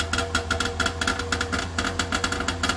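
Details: DKW two-stroke three-cylinder engine, believed 750 cc from a Junior with 6-volt coils and slight crank knock, just started and warming up; quick even ring-ding rattle, about seven beats a second at idle, buzzy exhaust, running well.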